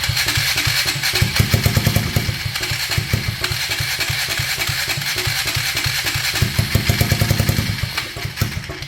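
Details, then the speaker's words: 1999 Polaris Sportsman 335 on its first start attempt after a broken valve guide was replaced and it got new gaskets, fuel switch turned down, unsure which tank: steady starter chug with brief catching bursts but no run; cranks, no start. "Okay, it sounds like it's wanting to start. I'm not sure which tank that was."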